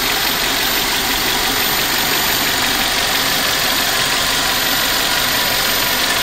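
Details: Toyota 7A-FE four-cylinder, 23-year-old car with 213,000 miles, heard from above the engine at idle: smooth, steady, quiet hum, purring with light clicking, no knocks or misses; healthy normal idle.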